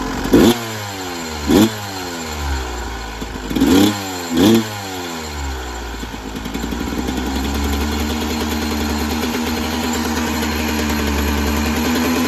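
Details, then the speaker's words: 1996 Yamaha YZ250 two-stroke after carb tune-up with factory stock carb settings (previously weird low-end idle, suspected pilot jet), about 13 degrees out: crisp throttle blips rising and falling cleanly, then steady even idle, no bogging or sputter; healthy. "I love the sound of two strokes, I gotta say. So that was going completely factory stock settings in the carb."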